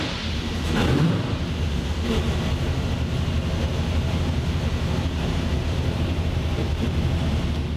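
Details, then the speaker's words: 903 cu in Hemi on the dyno, no boost, 26° ignition timing: deep, heavy, smooth full-throttle pull with no misses or knocks; 973 vs previous 897 at 6,500 rpm, better everywhere than with the wrong camshaft. "It was it is 973 now. It was 897. So we're definitely way better. It's way better everywhere here."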